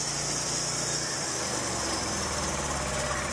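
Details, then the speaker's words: Stihl lawn mower running rough at low speed, hunting unevenly but working when given throttle. Owner suspects blown, loose intake manifold gaskets leaking air rather than the carburetor: rough idle. "I don't know. I don't think it's anything wrong with the carburetor. I think the intake manifold gaskets are bad."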